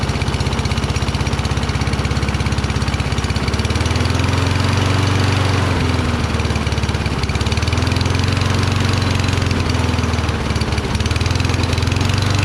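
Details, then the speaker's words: Toro Recycler, Kohler XT675, after cleaning debris from the carburetor bowl and pilot jet: starts, then a steady low, slow thrum with slight pitch wavering. Engine speed very low; owner suspects throttle setting and a faulty carburetor primer circuit. "well at least it started rpm seemed very low i think i have to screw with throttle and it looks like the primer is not really working right"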